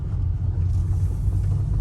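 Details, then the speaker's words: BMW X5 E53 driving at low speed: steady low moan and drag from the drivetrain, no knocks; transfer case or transmission suspected, passenger CV axle has slight play; source unconfirmed. "of a noise in it the hell is that noise do you hear that yeah there's like uh like a moaning do we have a transfer case problem or do we not or do you have a transmission issue"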